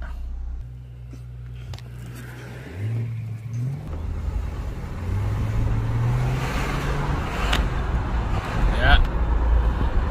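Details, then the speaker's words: GMC full-size truck/SUV, Vortec 4200 inline-six, all-wheel drive, 251,000 km, while driving: deep rough metal-to-metal growl from the front rising with speed; front differential or hub bearings suspected, power steering fine. "drive train I could hear a growling sound it's like metal to metal all right the faster I go the loud sound to come up"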